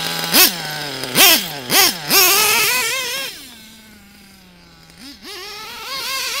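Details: Nitro RC engine (Savage), tuning by leaning the low-speed needle in small steps: sharp throttle blips, then a high buzzing idle that holds a little longer before the rpm sags. Idle is still unstable and needs further leaning.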